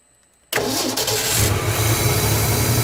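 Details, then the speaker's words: 1967 Ford F-100 with 240 engine, first start after 30+ years, low on fuel, carburetor likely gummed and leaking at the accelerator pump: catches quickly, then ragged wavering low idle; rough running after start, owner suspects fuel delivery. "almost starting to idle [Music] there it's iding barely um I'm guessing our issue is going to be fuel delivery but at least we have spark and the thing sits there in Idols"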